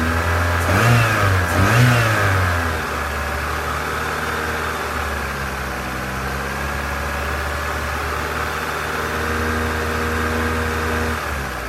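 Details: 2001 Vauxhall Corsa C 1.4 16V petrol engine fully warm, blipped twice then idling with a light, steady ticking underneath that grows louder the longer it runs.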